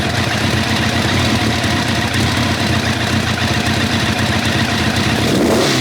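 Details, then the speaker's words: 1990 Kawasaki ZZR1100 running on three cylinders, about 421 miles after head work, one cylinder found cold: lumpy running with irregular popping, spitting back through the carb. Misfire; owner wonders if a loose head is involved. "i mean i've only had two out because that was the one that was cold it definitely sounded like it was spitting back through the cup"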